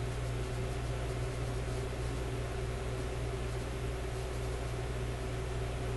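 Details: Grundig 2540 AM/FM/SW tube radio warming up after a speaker wire lead touching a resistor was cleared: only a steady low hum with faint hiss, no clicking or crackle; sounds normal.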